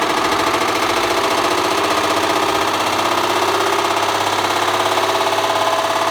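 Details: Bosch Classic 6 1200 Express washing machine hot-wired to the motor via variac, top ballast removed, objects inside: loud rough continuous clatter and banging under heavy load; drum hammering hard, machine gradually tearing itself apart, drum support suspected failing.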